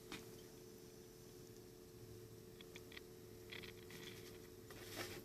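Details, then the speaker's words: 1950s RCA 6-BX-63 portable tube radio that arrived dead, on first power-up. Faint irregular crackles and pops sit over a low steady hum as the set warms up; the cause of the crackle is unknown. "I can hear something. Hear that crackle?"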